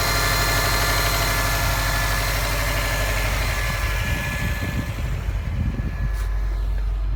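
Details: 2015 Subaru STI with an earlier check engine light, just started: rough uneven idle with deep thumping about three times a second under the rumble; cause unknown.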